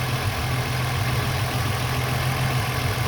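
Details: 2001 VU Holden Commodore Ecotec 3.8L V6, hot after swapping the 82°C thermostat back to a standard 90°C one for poor fuel economy, no leaks, temperature gun reading 84: smooth, steady low idle, no knocks or ticks, a normal warm idle.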